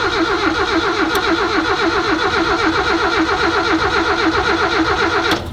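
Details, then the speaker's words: Mazda 323 GT that sat 27 years, fitted with a new fuel pump, lines and tank. Steady cranking about four compressions a second, never firing: cranks, no start. The fuel pump can be heard; spark suspected, possibly fuel. "I think that's gonna be spark related, but it could be fuel. And I only say that because I can hear the fuel pump."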